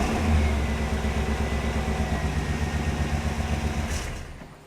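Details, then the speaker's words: 1998 Chevrolet 1500 GMT400 truck after replacing a wire-hung custom dual exhaust with an aftermarket kit: deep even rumble with a quick blip fading cleanly, no rasp or ticking leak; sounds much better. "Unbelievable how much better that sounds. Unbelievable. It sounds so much better."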